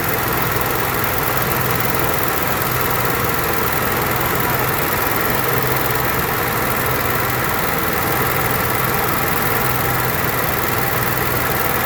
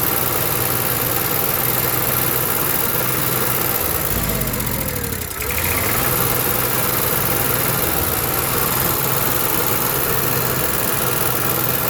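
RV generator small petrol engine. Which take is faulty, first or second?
second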